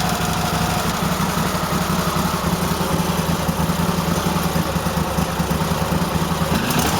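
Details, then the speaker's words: Cub Cadet tractor V-twin at idle, rough and uneven with irregular popping as the right cylinder misses; fine when revved; owner suspects dirt in the carburetor or a bad spark plug. "I don't know what's wrong with it. It's just running like shit. Hear it popping a little bit, I don't know. Might be a speck of dirt in the carburetor, but as soon as you rev it up, it's fine. I don't know. Only at idle it fucks up."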